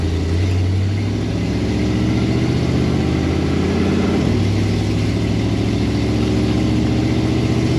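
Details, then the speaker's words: Dodge Coronet 500 with a 383 V8 that has an unsolved backfire: idling with a steady low drone and a faint whirring overtone; source unclear, owner suspects the badly leaking power steering pump. "Can't figure out if that's the power steering pump just shooting craps because it's leaking like crazy or what."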